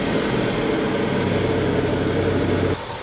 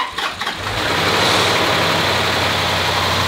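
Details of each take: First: 2011 Land Rover bought non-running with stale fuel, fresh oil and charged battery, on second start: fast ragged machine-gun clatter over a steady idle, suspected timing system fault; one cylinder later shows low compression. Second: 2011 Land Rover after timing system rebuild, broken bolt removed, flushing oil and full coolant, fifth start: short crank, quick catch, then steady even running with the violent metallic knock gone, only a faint high whir over idle.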